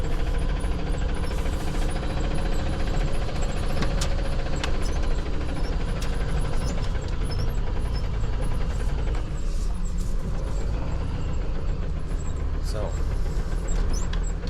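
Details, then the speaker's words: Dodge Ram 3500 NV4500 manual transmission: a heavy, steady knock under drivetrain noise in gear, louder in second than first and gone in fourth (direct drive); sounds like a rod knock, exact cause not confirmed. "Second gear, it's a little bit louder. I don't know if that's showing up for you guys or not, but it's really loud. Sounds like I got a rod knock."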